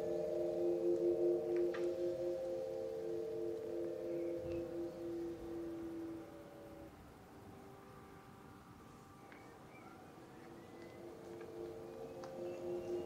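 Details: MG ZS EV pedestrian alert sounder heard from a tripod microphone set at sounder height as the car approaches; a smooth, steady mid-pitched tone swells, then fades away. The sounder is working normally.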